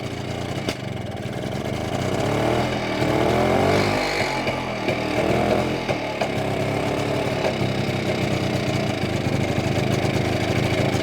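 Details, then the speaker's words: BSA D7 Bantam two-stroke under restoration, running during carburettor adjustment: uneven running with stumbles and sharp pops as revs rise and fall, misfire and backfire; owner suspects slipped ignition timing. "what do you think do you reckon the timing slip slightly for it to miss firing back firing like that"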